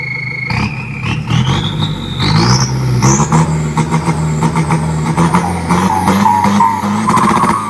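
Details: Isuzu FRR210 truck, 4HK1 diesel, after turbo replacement and customer-supplied louder exhaust; scan shows problems at injectors 1 and 4: deep rumble with clean turbo whistle climbing as revs rise, then settling back; runs evenly.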